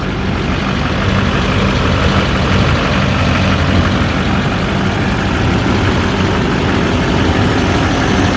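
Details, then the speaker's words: 2008 GMC Sierra 3500HD, 6.6L Duramax with Allison auto, 127,223 miles, parked since about 2021–22, new batteries, check engine light on: deep, even diesel rumble at idle with no misses or knocks; no blow-by; normal idle. "So it does have the paint falling off it, but this is looks to us like a nice running, good pickup."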